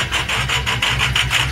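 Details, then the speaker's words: Ford 6.0 diesel truck with bad lifter, ICP sensor possibly bad and it jumped into high idle: choppy rasping pulse about six times a second, audible miss, blow-by from dipstick; engine needs full rebuild; rough high idle with misfire from lifter damage. "so even with the icp being messed up you can hear the miss"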